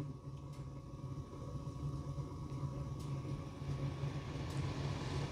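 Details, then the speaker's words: Gas furnace blower motor kicking in after the inducer, pressure switch, igniter and burners, once the flame-sensor delay on the blower relay times out; steady low hum of air building gradually and staying smooth, no rattles or squeals. Normal blower start. "And how we know that when that flame sensor goes long enough, that delay that blower motor relay gonna kick"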